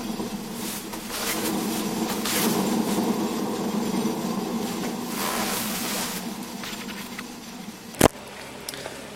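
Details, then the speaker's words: Suzuki Jimny JB43 front wheel spun by hand gives a rough, swelling grinding rumble: the wheel bearing is dead. The other side only had disc rubbing on the pads. Fixed by replacing the front bearing, which needs a special hub tool. "Alors maintenant, la roue de l'autre côté. Bah là, il y a pas photo. Le roulement, il est mort."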